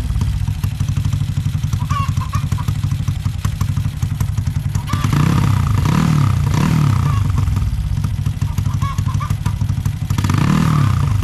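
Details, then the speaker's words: Honda Supra X 125 bored to 200cc with a PWK 32 carb (pilot jet 38, main jet 115, soft daily tune): the engine blips up cleanly from a low burble and drops back without a wet, blubbering rich bog. Jetting sounds about right; the owner may lower the pilot to 35 or 32. "pokoknya di gasnya udah G enggak ngebreerebet basahan gitu kan udah lumayan enak sih karakter motor gua 200 cc ini"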